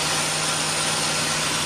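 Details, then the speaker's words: 2004 Nissan Xterra, naturally aspirated, idling just after installing a Volant cold air intake, box in place: a steady airy hiss over a smooth warm idle with no knock; likely intake noise from the new intake. "Okay, engine's running, and box is in, as you can see."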